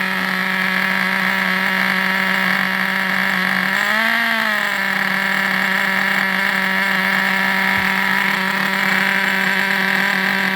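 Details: Vintage Traxxas nitro RC buggy engine on the bench: steady high-pitched scream with a brief dip and recovery around four seconds; running smooth and even.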